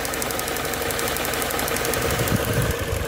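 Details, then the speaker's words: 2009 Mini Cooper Mayfair 50, 1.6 petrol fuel injection, six-speed, 47k miles, full service history, idling; even steady idle with fine light valvetrain ticking, nothing knocking or rattling: normal idle. "no unwanted noises"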